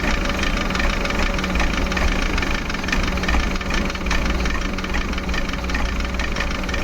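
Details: Maruti Suzuki Eeco petrol/company-fitted CNG, check engine light on, low pickup: rough, lumpy idle with uneven thumps and heavy shaking; misfire traced to faulty MAP sensor, code P0108.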